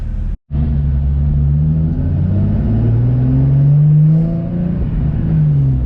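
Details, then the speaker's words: Nissan 350Z on a test drive after a rubber grommet fix cured limp mode and a check engine light: pulls up smoothly through the revs with a clean, steady note; no longer bogs at low rpm, no check engine light. "it's it sounds fine it feels fine it doesn't bog at lower rpm he used to bug at lower pm"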